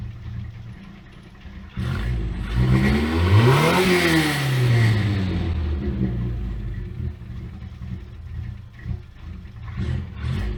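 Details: Abandoned Toyota AE86 after carburetor reset to known specs (primary main jet wasn't flowing fuel) and new spark plugs: engine catches cleanly, revs rise and fall smoothly through blips, settles to even idle; normal start.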